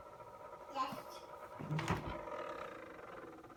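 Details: Samsung refrigerator, noise began 2/4/18, owner unsure if related to an ice maker problem; steady buzzing hum broken by a loud groaning roar partway through; abnormal noise, cause unconfirmed.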